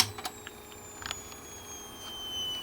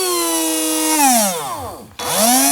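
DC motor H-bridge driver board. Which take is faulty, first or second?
first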